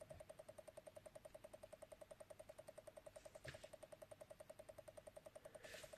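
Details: Commodore Amiga 500 power supply, German-made 4.5 A light version, unloaded on power-up: fast even ticking about seven or eight clicks a second as the switch-mode supply keeps restarting; replacing parts did not fix it.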